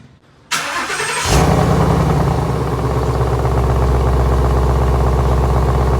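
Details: 2017 Ford Mustang GT (S550) after replacing left rear half-shaft thrust washer behind hub bearing to cure drive-reverse clunk, lowered off jack stands and started: engine catches into steady even idle, no clunks or knocks; driveline healthy.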